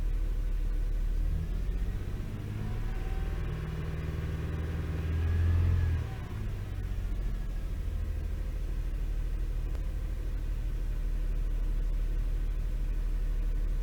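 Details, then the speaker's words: Toyota 3.0L/3.3L V6: uneven, lumpy idle with rough beat and brief rev, shaking felt through steering wheel, check engine light flashing on rev; misfire suspected from faulty VVT-i oil control valve, cleaning didn't help. "shaking really bad. I can feel the vibration on the steering wheel."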